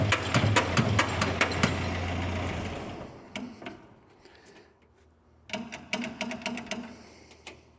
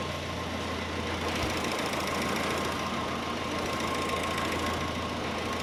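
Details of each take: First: 1946 Jeep CJ2A with a clutch that won't disengage, started in third gear, high range. Bursts of rapid even cranking chuffs with pauses, never catching. Fuel starvation: the fuel filter gets no fuel and the new fuel pump with a hand lever doesn't seem to be pumping. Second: 1946 Jeep CJ2a flathead idling in neutral after the fuel line was reconnected to the fuel filter; steady, even idle with a smooth low rumble and no misses or knocks, running fine.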